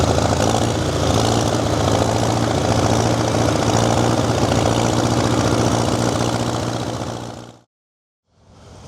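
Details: Worn-out diesel tractor engine that breathes heavy and blows oil. It runs on only three cylinders at idle but fine when working. Lumpy idle at about three to four beats a second with a loping gap; misfiring cylinder.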